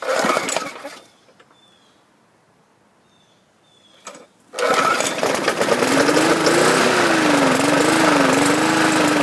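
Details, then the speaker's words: Yard Machines 20-inch mower, 300 series 148cc 4.5 HP engine built 10-2008, after carb rebuild, new air filter and primer bulb, oil change: starts after primes but wavers and hiccups every few seconds; owner suspects cheap spark plug. "Okay, there is a little bit of a hesitation here and there."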